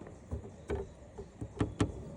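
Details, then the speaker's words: Driving with a new carbon fiber license plate holder held by only two top screws and none at the bottom: sharp, irregular metallic taps over road rumble as it rattles against the car. Planned fix is 3M foam tape on its back. "in case if you are looking to get something like this it is beautiful it is well made it's just that it rattles"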